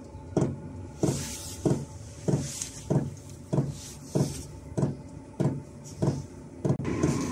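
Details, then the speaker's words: Chinese diesel heater on its highest H2 setting, fuel metering pump fitted inside a waterproof box to quieten it: steady soft ticks about 97 a minute over a quiet hum, no tinny rattle, possibly about half as loud as before. "let's wait and see it's not noisy in it it's not bad not about it was really tinny before they get a bit going"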